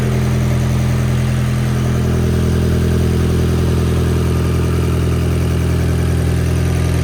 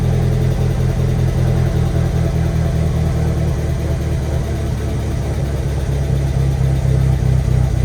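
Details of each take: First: Turbocharged 1.8T four-cylinder petrol on first start idles smoothly and evenly, no misfire, with slight oil smoke burning off; the earlier roughness was likely timing, not a misfire. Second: Freshly built 1.8T engine on first start idles unevenly with an irregular, lumpy low pulse, almost misfiring, while oil smoke burns off the exhaust; rough running from incorrect ignition timing.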